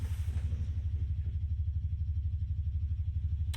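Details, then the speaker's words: 1967 Fender Showman tube guitar amp with all controls at zero and no signal: deep, very even putt-putt pulsing about three times a second; motorboating oscillation, possibly a broken ground, not confirmed. "But we do have an oscillation, don't we? Or do we have Whoa. What is that? We have a massive oscillation. That sounds like a broken ground almost."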